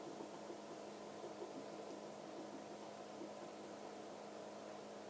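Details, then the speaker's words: Miele W562 washing machine in a deliberately overdosed extreme-suds test; drain pump growls with a low, steady humming drone as it labours to pump out very thick suds. "I thought you would keep pumping it out cuz just now the pump's growling away there."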